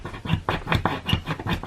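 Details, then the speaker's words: 9mm Polymer80 pistol slide build: dry recoil spring squeaks with each hand stroke, about twice a second, as the coils rub metal; lubricating with spray and working the spring removes the squeak. "so what i do is i flip it up and i kind of just move it you can actually just hear it squeaking right there hear that and then when that gets into the metal"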